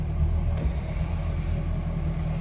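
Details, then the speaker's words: Mercury outboard, port engine on a 330 Boston Whaler, shifted from neutral into forward: deep even rumble with only a soft thud as it takes gear, no clunk or grinding; shifts normally. "good everything works it looks like"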